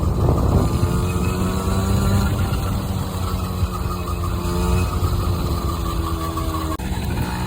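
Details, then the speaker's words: Honda NC50 Express 50cc two-stroke scooter on test ride after revival, topping about 25 mph; even buzz climbing smoothly in pitch with speed, no misses or bogging under wind noise, running well. "It's running pretty good, you guys. I topped out about 25 so far. Wow. This thing actually runs pretty nice."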